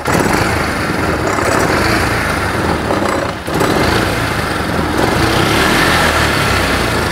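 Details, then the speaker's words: Polaris 500 side-by-side warmed to operating temperature after water was found in the exhaust: steady, even idle with no misses, knocks or surging; running great. "so after sat here for a few minutes and run it's running great"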